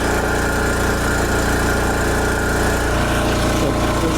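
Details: Revived Wen Power Pro 3500 generator under about 3,050 watts load at 58 hertz: steady, even drone at constant pitch with no misses, surges or knocks; engine holds speed well under heavy load.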